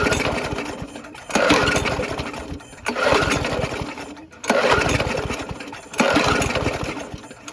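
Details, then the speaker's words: Abandoned Yard Machines (MTD) push mower, 4HP Quattro Briggs & Stratton, first start on two-cycle mix with carb spray: surges and sags every ~1.5 s, oil in carb after tipping; oil blew from exhaust, rings unconfirmed. "there is oil in the carb here from me tipping it up but this is some two cycle mix it should work fine for this test"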